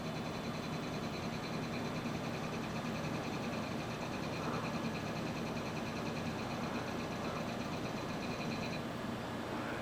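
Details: Pentium 3 NAS server booting into FreeNAS after a dusty memory stick was fixed. An old hard drive gives a steady thin high whine over an even fan hiss, with no clicks or knocks. The drive is spinning normally.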